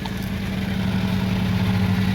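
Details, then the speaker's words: 2000 Lexus RX300 at idle, heard under the car between converter and muffler: steady low chuffing hum with puffing edge, exhaust leak at the downstream O2 sensor flange with rusted, missing bolts. "you can hear the sound of the leak and it's coming in this area uh this is the converter over there and this is just before the muffler"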